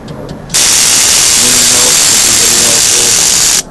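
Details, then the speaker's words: Kawasaki ZX-14 (ZX 1400) on 50 A charger, battery out: harsh steady electric buzz from the starter relay for about three seconds on start attempt, no cranking; fuses good, cause unknown. "On 50 amps it should turn over with ease, but I get this sound from the starter relay. Every time I try to start, won't kick over."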